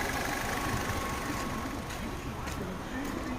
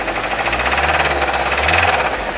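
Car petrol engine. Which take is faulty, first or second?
second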